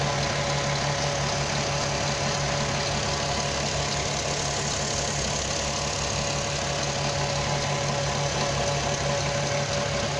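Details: Audi TT 3.2 V6 petrol idling steadily with a light, fairly regular tick about three per second over the hum; timing chains being investigated.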